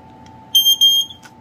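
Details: FireX FX1218-based ionization smoke alarm on AC power with no batteries: a faint steady tone, then two short shrill chirps near 3 kHz lasting half a second from the piezo horn on test; normal.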